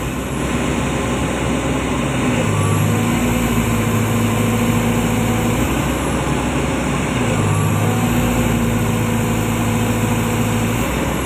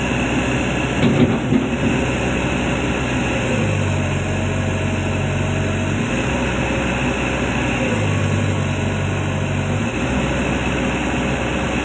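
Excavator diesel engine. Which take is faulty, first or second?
second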